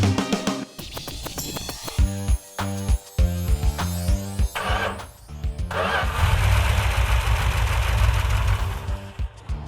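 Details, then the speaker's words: Rebuilt 340 V8 in a Mopar after fixing problems that included running on about six cylinders with low compression: fires and settles into a deep, steady rumble with no knocks or ticks, running normally. "that's the way it's supposed to run"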